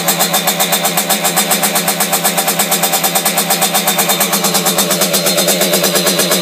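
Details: Simonini engine in a Piaggio Ciao moped (side intake, 21 mm carb, modified head with decompression lever, internal rotor), test run in subframe: loud, crisp two-stroke bark, even firing at steady speed, no hiss from head; decompression valve sealed, running healthy.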